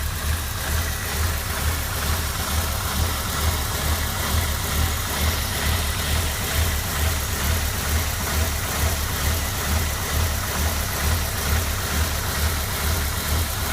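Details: 1996 MGF 1.8 MPI rough idle despite new intake gasket, IACV valve, rotor, cap and HT leads; lumpy, hunting, stumbling beat caused by a vacuum pipe disconnected from the ECU; the car ran perfectly once it was reconnected.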